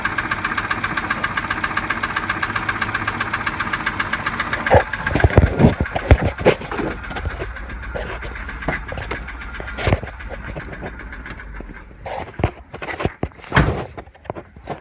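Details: 1987 Volvo 740 Turbo rough-idling on three cylinders due to a faulty plug wire: steady, deep knocking from low in the block, louder at the oil pan than the valve cover; a shop said piston slap, owner doubts it, cause unclear.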